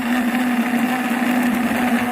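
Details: Wood boiler circulator pump with 180-degree water hums with a strong steady tone and a rough gritty hiss, an abnormal noise; it is being swapped for a backup pump.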